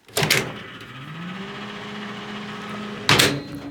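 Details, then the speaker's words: Panasonic microwave keeps running with the door open because of misaligned door switches. A door clunk, then the fan, light and turntable hum continue until the next clunk; the switches aren't cutting power. "the moment you open the door the microwave keeps running you can hear the fan the light everything is on the turntable uh three is also turning"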